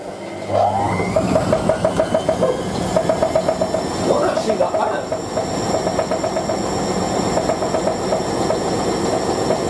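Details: Hotpoint 9530W Electronic 1000 Plus washing machine spinning a towel load: fast rhythmic knocking and creaking over the spin rumble as worn shock absorbers let the drum bounce; machine going to storage until the shocks are replaced.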